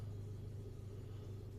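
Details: Toyota Yaris automatic, after replacing cylinder 3 ignition coil that caused misfire, rough idle and check-engine light: low, steady, even rumble, no stumbles; idles smoothly, misfire counts zero, no trouble codes.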